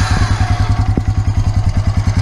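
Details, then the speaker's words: 2003 Honda Rancher ES 350 4x4 ATV, about 200 miles, valves never adjusted: even single-cylinder idle thump, about nine beats a second, with a faint light tick from excessive valve clearance; valves due for adjustment. "kind of hear a slight amount of ticking on it when it's about about time to do an adjustment on it"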